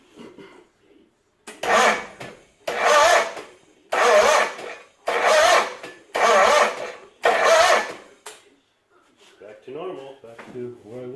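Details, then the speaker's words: John Deere 317 garden tractor, battery reading 12.65 V but dropping while cranking: six slow, laboured cranking strokes about a second apart without catching; weak battery or starter suspected, fault later traced to the PTO. "as soon as i put the plug in is the battery too weak i mean right now it shows 1265 but as soon as you crank it drops down so let's see if that's the issue"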